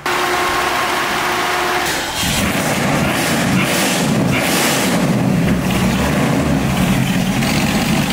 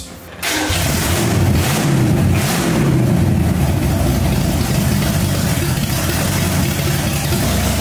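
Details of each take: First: Supercharged aluminum-headed 289 V8 in a 1965 Mustang: low, lumpy idle close to stalling, idle speed too low with timing too advanced at 30 degrees total; timing then backed to 12 initial, 28 total. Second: 1965 Mustang with supercharged, aluminum-headed 289 V8 and big cam, restarted after cooling off: a deep, lumpy V8 starts right away and settles into a strong, even idle with a slight rev. It sounds healthy, better than ever before, ahead of a thermostat removal.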